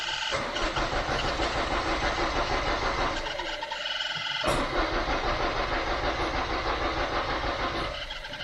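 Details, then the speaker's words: Citroen Xantia Activa, plants had destroyed its wiring loom, new fuel pump relay fitted: a steady starter churn with even compression beats about three per second, never firing; it cranks but won't start, and the owner still suspects no fuel pump operation. "I still don't think we have a fuel pump but I have some wiring diagrams now"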